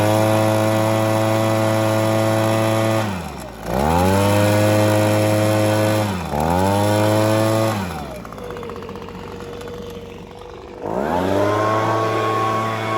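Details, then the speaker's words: Formerly seized Echo two-stroke leaf blower after the carburettor mixture screw was set to its sweet spot: revs up cleanly from idle and drops back several times with a steady idle between; successfully revived and healthy. "But yeah, I'm happy I successfully brought back a seized two cycle piece of equipment, which isn't easy."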